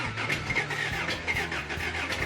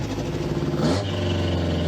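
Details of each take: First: Freshly rebuilt 350 V8 just fired up on a new cam with E-curve distributor and carbs: rough, uneven idle with sharp pops and crackles from the exhaust, raw fuel exploding in the exhaust; timing close, rich mixture. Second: Rebuilt 350 V8 after turning in the rear carb screws: steady, even idle with a smooth low rumble and a brief blip, the earlier exhaust popping gone.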